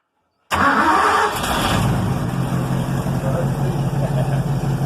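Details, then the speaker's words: 1964 Ford P500 panel truck with 292 Y-block V8, after timing adjustment: fires quickly and settles into a steady, even, deep idle, sounding as it should. "That's what it should sound."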